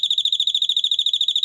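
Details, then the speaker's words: 12 V doorbell: touching a smaller-value capacitor to it gives quick evenly spaced shrill chirps, about ten a second; melody rhythm changed. "ritim yine değişti yani bu şekilde ritmi değiştirebiliriz"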